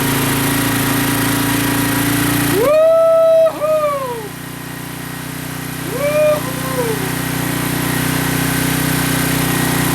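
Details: Honda 200SX field find on carburetor with pressurized external gas tank, in neutral, rear wheels up: steady even low idle drone with brief blips, no misses or knocks; normal healthy idle, owner says sounds really good.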